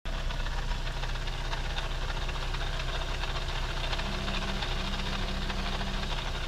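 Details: 2015 Audi A3 1.8T going uphill in Drive off the throttle: a coarse, uneven grinding rumble from the front end; similar noise over speed humps.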